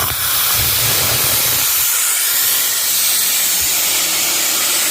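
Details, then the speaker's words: Gardner Denver Electra Screw EBE99K, 24,873 hours, freshly serviced, after auto shutdown at 115 psi: loud steady hiss of air being vented over a low hum, before the unit kicks back in; normal. "Unit has automatically shut down, 115 psi. See there? Now we will release some pressure and the unit will start to pump again."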